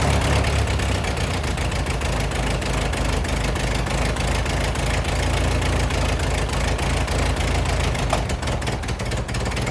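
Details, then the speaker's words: Ford 8N tractor, sat in a field 10+ years, restored, carburetor adjusted but float height unchecked, running: steady fast rough chugging about three and a half beats a second; stays at high idle, not dropping back. "It likes the high idle. It seems like that's something we can certainly fix."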